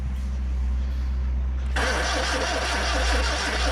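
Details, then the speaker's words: Ford Corsair 2000E, 2-litre V4 barn find sat for years, points cleaned, spark at all four plugs, cranked with a starter pack: engine spins over at an even cranking beat but never fires; possibly ran out of fuel. "Don't think anything's happening, is it? It might be because we've just used that fuel up a bit."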